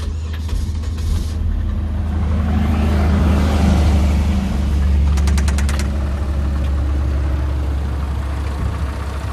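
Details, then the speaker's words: Chevrolet Vectra that broke down and was towed after overheating, temperature gauge at mid: rough, heavy idle with a light irregular tapping. Owner has no idea of the cause; abnormal engine noise after overheating. "E o barulho não tá bonito não. Ó, a temperatura tá no meio."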